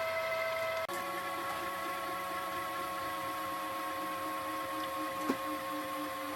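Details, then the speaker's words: Pye VRD-300L VCR with 1992 Daewoo chassis: steady motor hum with a whining tone that shifts and labours as the tape nears its end; the belt is slipping. Slipping drive belt. "certainly starting to struggle towards the end. Belt's starting to slip a bit. You can see that's going a lot faster than that is. And that's probably what's making that noise."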